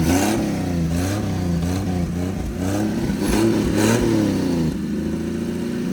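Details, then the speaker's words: 1954 Chevrolet inline six revived after two decades, running with no exhaust and no accelerator pump: even-firing six pulls cleanly through blips and settles smoothly, no knock or miss; possible slight valve noise doubted. Normal running and revving. "no exhaust and no accelerator pump so both those are to be expected but damn that's running great"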